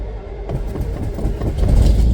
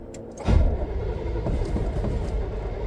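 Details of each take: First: V8 fitted with a new DIY dual exhaust through the X frame, mufflers exiting both sides behind the rear end: catches after a short crank and settles into a deep, even burble, no puffing or ticking from pipes; some smoke expected from oils melting off. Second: First start after installing a DIY dual exhaust with new exhaust manifold gaskets, donut gaskets and mufflers: the starter churns the engine over in a low, pulsing rhythm without firing yet. Cranking, no start.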